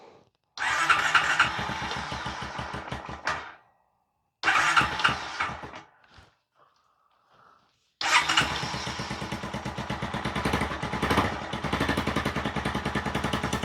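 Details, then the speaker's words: 2022 Honda Recon 250 single-cylinder after a top-end rebuild. It starts twice, then settles to a low idle with a sharp puffing tick on each firing and runs quieter than before the rebuild. Owner suspects an exhaust-manifold leak and that the idle needs raising. "Sounds like it got a little exhaust leak, so I'm probably gonna have to tighten up that exhaust manifold."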